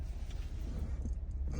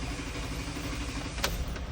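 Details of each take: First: 2008 Jeep Wrangler 3.8 L V6 (listed elsewhere as 2012) idles steadily and evenly after its split, open crank sensor connector at the transmission was repaired. It had a long crank and misfires before; now it runs with no codes and no misfires. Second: 2008 Jeep Wrangler 3.8L starter cranking long before starting, misfires and crank sensor codes; crank sensor pigtail wires on the passenger-side bell housing found split and exposed, connector repaired.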